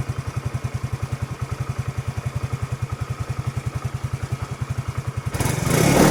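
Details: Suzuki Let's scooter with an Access CDI rewired in place of the Let's CDI to fix a starting problem: fires on the starter and settles into a steady, even idle of about three to four beats a second, then a brief throttle blip; normal.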